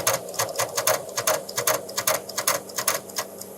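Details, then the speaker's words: 1977 North Star Horizon floppy drives make rapid, uneven sharp clicking about 2.5 per second at cold start, worse as the weather got colder, then no prompt appears; owner suspects the drives need alignment, lubrication and cleaning. "well there's definitely something wrong with these drives i've noticed as it's gotten a little bit colder over the past few days when i've come out to start this up it makes a noise that sounds like this"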